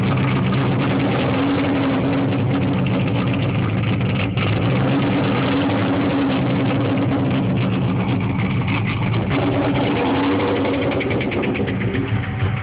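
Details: 1996 Mustang Cobra with stage 2 cams, 81,000 miles, began knocking and lost power after passing at 40 mph, no check engine light, only ABS light: rough uneven idle with steady low knock beyond cam lope, suspected rod knock, unconfirmed.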